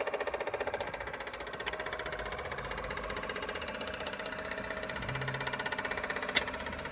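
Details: Kia Soul 2021 at steady idle: fast, fairly even light ticking, roughly four per second, from the engine top end; source not pinned down and cause only suspected.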